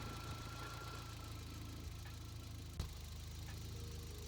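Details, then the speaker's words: Toyota 22R-TE turbo pickup with Haltech, idle after adjusting the idle speed screw for a rough idle. The screw previously did little and now has more adjustment range. Quiet, even low idle rumble holds steady with no hunting or surging. Idle is steady and much improved. "It's still, that's a lot better than it was, because I was having some issues with that before."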